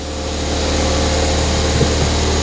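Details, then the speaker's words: Ford Fiesta ST180 non-runner, first start: petrol engine idling steadily but massively high with throttle untouched, smooth even drone, no misses; broken inlet manifold causing a big intake air leak. "if it runs it's idling massively High I'm not touching the throttle there that's because the inlet manifold broker a bit so engine malfunction it runs"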